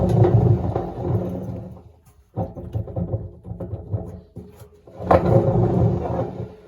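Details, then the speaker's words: 2012 Beko WMD261 6 kg washing machine, drum spun by hand: loud rough rumble and grind in bursts, drum bearings worn out. "As you can hear, those bearings are indeed toast."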